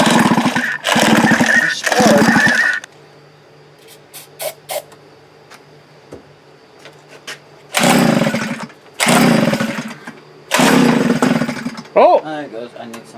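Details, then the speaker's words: Post-hole auger after new fuel primer bulb and tank repair, ran badly before: ragged, uneven revving bursts dying between; carburetor fault later found, rough running. "so as you guys saw it's not starting doesn't seem to want to run there is fuel in the new bowl that we put on"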